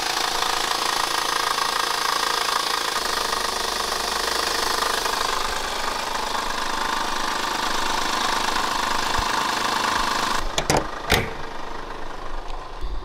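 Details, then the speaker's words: Honda Accord after a four-hour drive, engine bay recorded with hood open at idle: loud, hard, rapid knocking with harsh clatter; owner first suspected the motor or a pulley, but the shop found a failing timing belt. "it turns out it was a timing belt so i'm super excited that it was just something as simple as that and nothing to do with the motor"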